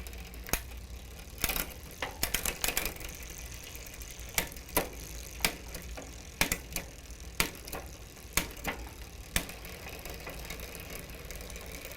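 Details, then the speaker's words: Huffy multi-speed bicycle with Shimano rear derailleur during limit screw adjustment: uneven ticking and scraping clicks about every two seconds as the wheel turns; the chain rubs the cassette, so the limit screw needs one more turn. "well it's almost there i can hear a lot of noise coming from the chain rubbing against the sprocket or the cassette there so i'm going to give it one more turn hopefully that gets us where we need to be"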